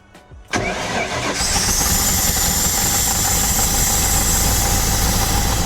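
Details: 1993 Nautique boat engine: after a brief quiet, the starter churns steadily without catching; cranks but does not start after injectors were jumped with 12 V and freed, one still dripping.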